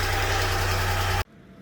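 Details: Honda Acty engine after valve cover gasket and distributor O-ring replacement, distributor reinstalled rotated 180 degrees to fix no-start: ticks over evenly with steady low hum, no knocks or stumbles, then cuts off; normal idle.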